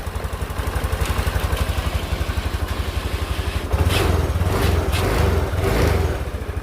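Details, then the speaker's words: Honda Beat 2020 scooter (oil had blown into air filter, wouldn't start) after replacing dirty fuel pump filter and faulty TPS sensor: even quick idle pulses, clean rises in pitch when revved, returns to steady idle; runs smooth and normal. "Kita tes dulu ya. Oke, mantep ya, suaranya halus."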